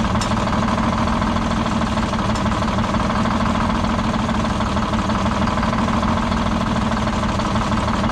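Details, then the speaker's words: Detroit Diesel 6-71, last run before being pulled: deep, heavy idle with a slow, uneven stumble and heavy shaking; one cylinder not firing, raw fuel dumping out of the exhaust. "dumped out of the exhaust from that cylinder that's not firing"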